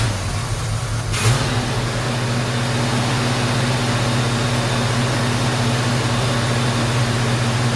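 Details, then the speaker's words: 1977 Chevy C10 Cheyenne 350 V8 with Quadrajet, warming up after new plug wires and Sea Foam treatment: steady drone with lumpy pulses and occasional pops, less than before; sticky valves suspected, unconfirmed. "well as you can see it's still kind of popping there a little bit but it's not doing as much as it was"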